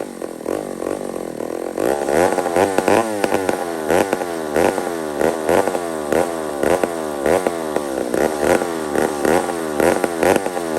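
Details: Old McCulloch 1-71 two-stroke chainsaw after a carburetor upgrade: hunts up and down about twice a second, never holding steady revs, a lean surge; owner sees a huge vacuum leak at the intake gasket.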